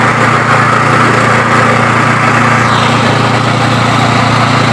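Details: Yamaha water-pump engine that sat unused for over 20 years, now restarted: holds a steady, even putter at constant speed with no misses or surging. Normal running.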